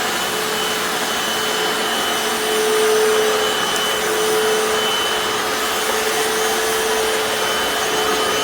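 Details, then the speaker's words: Hoover FloorMate Deluxe hard floor scrubber in wash mode on tile, clean tank about one-third vinegar in tap water: steady, even motor hiss with a constant mid-pitched hum, no surging or grinding; normal running. "I turned it on to wash, and I'm pushing, that's what that looks like."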